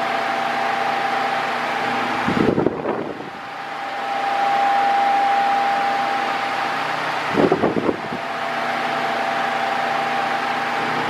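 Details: Mondial Maxi Power 40cm 140W V-40-B fan, new, oscillating at maximum, medium and minimum speed: a steady motor hum with a clear mid-pitched tone under airy rush, swelling and dipping as the head sweeps. The owner finds the motor too noisy, even on minimum.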